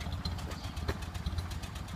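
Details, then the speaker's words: Early 1928 Ford Model A Tudor sedan after installing new Aries exhaust and muffler, fully warmed up after a drive: soft, even low putter idle with steady firing, no knocks or misses. "Got it all nice and warmed up. And boy, she's idling down nice now. And you can hear it."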